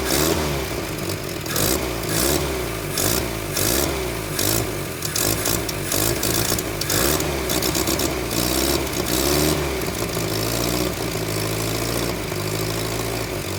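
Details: 1978 Datsun 1500 Ute GN620, 20 years stored, new carburettor, just restarted after carb cap removed: fires and keeps running, revs rising and falling unevenly with some clatter, mixture needs tuning; revs not yet settled.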